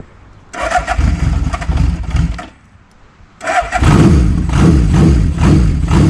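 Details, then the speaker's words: Honda CB750 four-cylinder motorcycle, original pipes and airbox removed, started on choke then choke off: cranks, catches, settles into an even steady idle with no misses or knocks; owner expects a fuel leak shortly. "I have the choke off and now it runs perfectly as you can see but it's definitely going to be leaking in just a second here"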